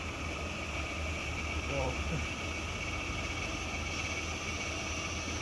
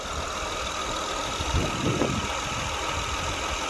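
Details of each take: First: Power steering pump whining loudly and steadily while the steering wheel is held at full lock over low engine hum, stopping when turning stops; caused by air in the power steering system. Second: After power steering repair (steering rack replaced), engine idling: steady even hum with no whine or groan from steering pump, no bubbles in fluid; power steering now quiet and light, normal.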